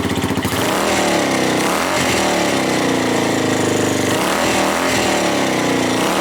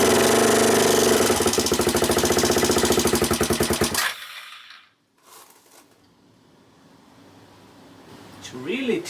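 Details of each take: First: Suzuki GN250 after fixing an upper-engine ticking from a loose cam chain: loud, busy single-cylinder thrum with loose rattling from unattached parts but no tick on top; engine runs healthy, road test still pending. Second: Suzuki GN250 upper engine: quick even ticking about 3.5 per second over idle before cutting out, changed from earlier crunchy sound after valve work; owner suspects valve clearances, also considering cam chain or tensioner; clearances to be rechecked.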